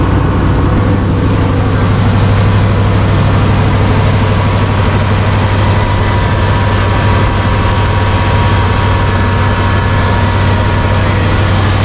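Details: Chevy Silverado K1500 V8 idling after a 140 amp alternator install: smooth, steady, deep hum with no knocks, ticks or squeals, though the owner says the alternator bearings are starting to go.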